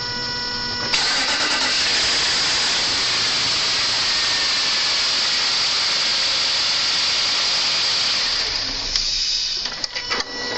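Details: Land Rover 4.4 V8 cranking: long harsh whirring crank of about eight seconds with rapid uneven chatter and no start; cause not determined.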